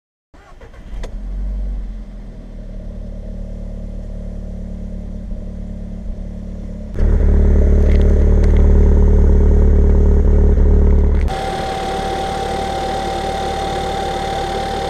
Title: Cold start bad rough idle tfsi software fix